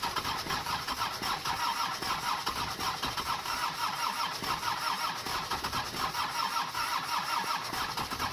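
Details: Mercedes OM617 diesel swapped into a Toyota pickup, after replacing the injector nozzles: steady starter churn with an even compression beat, no firing at all; cranks but will not start.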